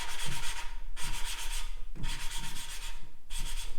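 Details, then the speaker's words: 1950s Case 311 tractor valve job: lapping a valve by suction cup with coarse compound, soft even rubbing strokes about once a second as the grinding smooths out, showing the valve has seated. "as long as you hear it kind of grinding when it smoothes out you know it's pretty done did you hear how it changed"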